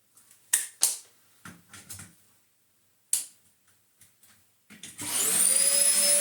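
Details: Dyson DC04 upright vacuum, mouldy after two years in a shed, switched to full power after earlier running at half speed: a few clicks and knocks, then the motor spins up to a loud, steady, even roar with a rising tone. It runs normally.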